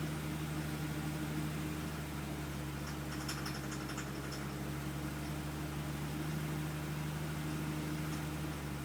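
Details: Engine idling with a loose, irregular rattle and light knocking over the steady hum; source not identified, cause suspected but not confirmed.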